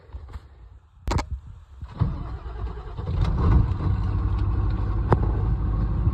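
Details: Ford OBS 7.3 diesel with crank-no-start, fuel reaching the fuel bowl, after replacing a faulty plug; few clicks, then it catches within seconds and settles into a steady low clatter; starts fine, the plug was the problem.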